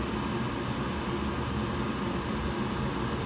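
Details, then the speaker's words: Evcon gas furnace installed February 2020, startup: inducer motor runs, igniter heats, gas valve opens and burners light; steady, even whir with no rattles or scraping; normal furnace startup. "gas valve ignition as you can hear the burners are on right now"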